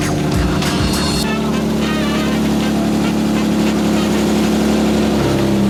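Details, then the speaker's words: BMW E30 at its first start in months, after drivetrain repair (transmission, guibo, driveshaft): loud, raw idle with an uneven puffing chuff over the engine beat; a huge exhaust leak. "The E30 lives. It's alive. The E30 has a huge exhaust leak, but it's alive."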